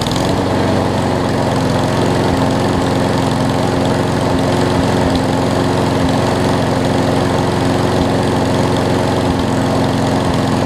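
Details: Craftsman push mower after carb clean, wheel assembly replacement and oil change (old oil had water and mess): steady, even drone at constant speed, no misses or surging; running smoothly and healthy.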